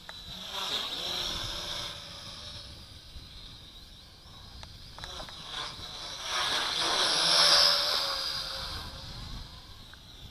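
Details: HT F801 quadcopter test flight after replacing a bad motor with one harvested from a WLToys V959: thin high-pitched whine swelling and fading while manoeuvring, steady without rattles or dropouts; motors running fine.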